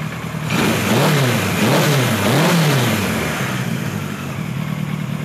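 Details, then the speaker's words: 1976 Kawasaki KZ900-A4 four-cylinder after correcting wrong exhaust cam timing and replacing two bad plugs, carbs nearly synchronized; blips cleanly from idle and settles evenly, no misfire or stumble, sounds healthy. "I'm really pleased to see this is working now sounds good runs good so I want you to soak in that sound here for a moment because it's going to be important"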